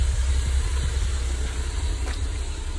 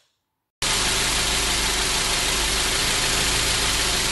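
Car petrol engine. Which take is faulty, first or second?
first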